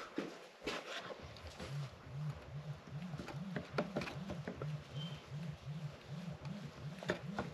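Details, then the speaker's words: Sherman S electric unicycle, disassembled with shocks removed: a low hum swelling and fading about three times a second, with handling clicks; an internal vibration suspected in the hub motor, cause unknown. "You can hear and feel like an internal vibration."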